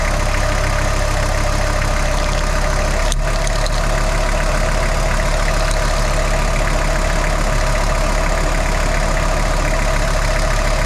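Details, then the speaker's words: VW T4 with AAB diesel, 4,600 km since a major overhaul: steady idle with a faint, even chirping whir from the front belt area; the owner suspects a worn tensioner or idler pulley with lost grease and play. "I have issue with this belt because it's make a little bit noise when it's running in idle."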